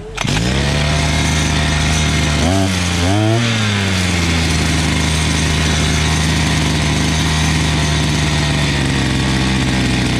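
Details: Imported 43 cc two-stroke brush cutter, carburetor screws being set from closed to about one and a half turns: steady high buzz that sags and surges, then hunts lower; mixture knocked out of adjustment while adjusting.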